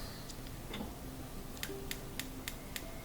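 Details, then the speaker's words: Capital gas range, front-left burner, after cleaning burner and igniter: only faint, thin clicks about three and a half per second with no spark; ground ruled out, spark module suspected failed. "but when I try it same thing just to really faint sound no spark at all so makes me think that well"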